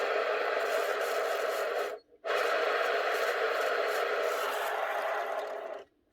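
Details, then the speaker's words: Makita 1923H 110 V corded planer from 2006: dry, raspy scraping rumble as the bearing is spun by hand, stopping and restarting; dried-out, worn bearing that needs replacing. "You can really hear them dried out bearings now."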